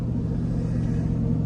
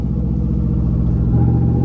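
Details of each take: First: 5.3 L V8 with AFM/DFM disabler just plugged in while driving, back in V8 mode: steady, deep, even rumble under light driving, no misfire; normal V8 running on all eight cylinders. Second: 2011 GMC Sierra or 2012 Chevy Tahoe 5.3 L V8 on light load at low road speed: low rumble shifting as Active Fuel Management drops to V4 and pops back to V8 repeatedly, worse in overdrive or tow mode; before fitting an AFM/DFM disabler.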